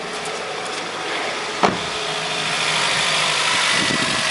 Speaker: Now it's just the engine's just slowing down now because it's already warm.